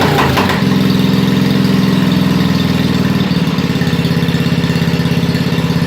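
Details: 1987 Wheel Horse 211-4 mud mower with a snorkel intake, just started and not yet warm: rough start, then a lumpy idle pulsing around mid-clip. It smokes, and the owner suspects a jetting issue (lean or rich unclear). Unsteady idle.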